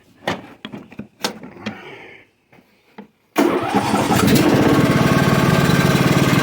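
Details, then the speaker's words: John Deere LA115 riding mower, 19.5 HP Briggs & Stratton, after drive belt and pulley replacement: a few clicks and clunks, then the single-cylinder catches at once and settles into an even, steady beat; "going like crazy," called a win. "oh this is going like crazy all right"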